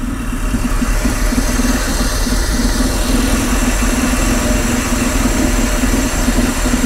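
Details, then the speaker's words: 1962 Jaguar Mk10 first start after sitting 15 years: uneven, lumpy idle with irregular beat and stumbles, missing badly; spark plugs suspected. "For the first time in what I think is 15 years, this engine just ran. Barely ran. But ran. I mean, sounded like it was missing, like there was no tomorrow."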